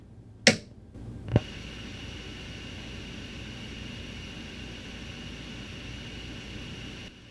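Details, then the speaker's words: Oupes 1800 LiFePO4 power station amp test with amp powered from its AC inverter: two switch clicks, then only faint steady hiss, no hum or buzz; inverter output as quiet as grid power, clean. "Also nice and quiet."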